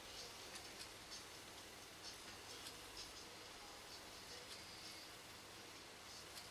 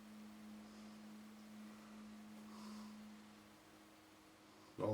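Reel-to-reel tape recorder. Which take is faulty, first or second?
second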